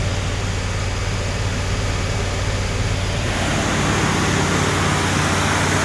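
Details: Rebuilt Ford 302 Windsor V8 with a finished new exhaust during a 30-minute camshaft break-in at about 1500 rpm, water temp and oil pressure good, choke propped open. Deep, even rumble that swells slightly, no knocks or misses; running normally.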